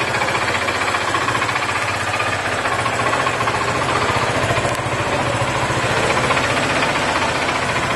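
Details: Yamaha FZ 2008 motorcycle at idle, noise began shortly after an oil change, exhaust pipe dented; rapid metallic rattling knock, three to four per second, in time with engine, metal striking inside engine; cause undetermined.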